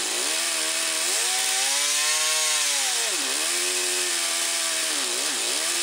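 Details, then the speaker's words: Yamaha Phazer II snowmobile, carbs reset to factory settings, old fuel replaced with fresh: raspy two-stroke buzz surging and falling as throttle blips, hesitant pickup; rough running, cause unconfirmed. "all right so it starts it uh doesn't like me giving it throttle but it starts so let's start I just have to do some fine tuning up"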